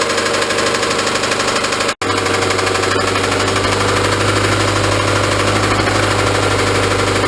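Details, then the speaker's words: Honda Civic engine running with a regular, deep knock of about three per second, steady at idle; obvious rod knock, and a replacement engine is planned. "yeah so you guys can all just obviously hear that rod knocking in there so we're gonna look into a new engine"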